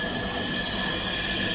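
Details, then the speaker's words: 2005 Subaru Outback with low compression on cylinder one, leak-down test with air fed through the spark plug hole; steady hiss with a faint whistle escaping from the number one exhaust port; exhaust valve not sealing. "air going into the cylinder via a spark plug and you hear that it's coming off of the exhaust port on number one which means the exhaust valve had it"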